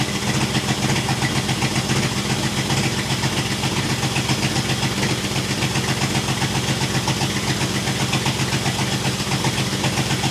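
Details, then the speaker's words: 1966 International 1200A pickup truck, just started after flooding, not yet warm: loud raspy idle with sharp popping pulses about 150 a minute over rough rumble; exhaust leaking badly, half the muffler fallen off, effectively open header. "sounds like crap but it needs an exhaust really bad"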